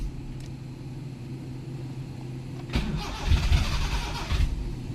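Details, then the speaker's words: Honda Civic Wonder that would not crank but started when pushed, tested with a jumper battery in place of the original: firm, quick crank that catches and runs; starter motor is strong, so the fault was the battery, not the starter. "Dan ternyata setelah kita ganti aki, dinamo starternya kuat."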